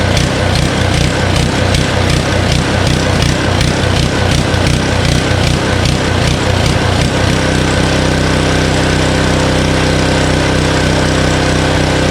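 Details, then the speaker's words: Honda Harmony HS520 four-stroke single-cylinder snowblower in 21-degree cold, after only a quick-and-dirty carburetor clean: it thumps unevenly, then the note won't hold steady off choke. It runs fine on choke; the surging comes from a still partly clogged carburetor. "You guys noticed that it runs great on choke, right? And then when you try to take the choke off to completely 100% run, it starts to surge, which is a common problem, especially if you just did it quick and dirty."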